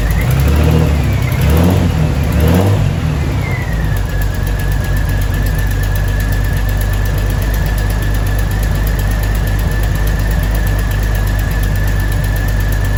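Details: 2000 Jeep Cherokee Sport XJ first start after a new head gasket, thermostat and housing, and valve cover and manifold gaskets (old gasket failed, overheating): engine catches, revs briefly, then idles with an uneven lumpy beat and a steady whistle; running a little rough.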